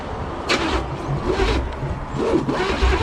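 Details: 1985 Pontiac Trans Am 350 small-block Chevy (5.7), unrun for 7 years and previously seized, primed with two-stroke-oil petrol: starter churns in uneven bursts without firing; cranks too slowly, battery problems suspected.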